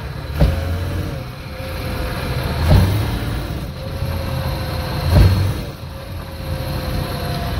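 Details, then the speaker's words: VAZ car: single dull thumps from the rear on hard take-off, gear changes with sharp clutch release, or lifting and reapplying throttle. Rear driveline slack, likely worn reaction rod (torque rod) bushings, to be replaced. "при резком трогании с места или при переключении передачи и резком отпускании сцепления удар задней части автомобиля"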